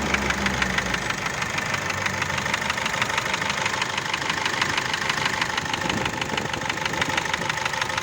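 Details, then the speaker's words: GAZelle Business with a Cummins ISF 2.8 diesel, rebuilt about 1.5 years earlier: steady idle with a sharp, even knock about three times a second over the clatter; a scuffed piston skirt is suspected. "тут будет скорее всего разодранная юбка одного из поршней теперь объясню дополнительно что вот какие стуки на этом моторе могут быть и с чем они могут быть связаны"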